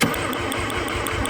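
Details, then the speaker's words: 1985 Mazda RX-7 that sat for 30 years, with starter fluid sprayed in: steady, even starter cranking at a few beats a second, but it never catches. Crank, no start; a lack of spark is suspected. "I don't think it's getting anything yeah that's what I think I think it's spark cuz this should at least be catching that it should at least be catching that starter fluid"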